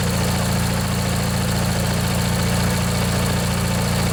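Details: Briggs & Stratton 16 hp flathead opposed twin on an MTD-built Montgomery Ward riding mower, after replacing a worn-out starter motor, idling after sitting one to two years: a smooth, even low thrum with steady firing and no knocks or misses. Normal idle.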